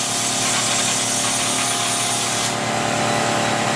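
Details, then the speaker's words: Kaivac no-touch cleaning system internal pump primed through the pressure hose with vacuum hose hand-sealed: steady pump whine with loud hiss, then the hiss drops away abruptly and pitch settles; normal priming. "Again, you're listening to the pump. For that change of pitch."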